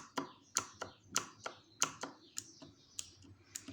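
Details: Redragon Kumara mechanical keyboard with blue switches, dampened with cotton and EVA foam under the keycaps: irregular soft keystroke clicks with muted bottoming-out; keycap strike noise reduced, switch click remains.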